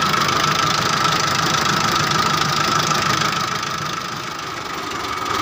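Diesel ticks over at a steady, even idle of about 200 beats a minute with no stumbling; it starts and runs fine now.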